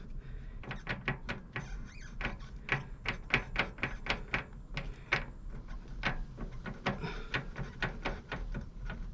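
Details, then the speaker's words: Yamaha XVS 650 Drag Star, rear wheel raised, driveshaft rocked by hand: irregular sharp taps two to three a second; owner hears knocking likely in the intermediate shaft, play at splines and universal joint suspected, unconfirmed. "так люфт то есть и я слышу постукивание новым по ходу скорее вот в промежуточном валу вертикальный люфт непонятно на кресте вверх-вниз двигается в эту сторону и ну и в это тоже"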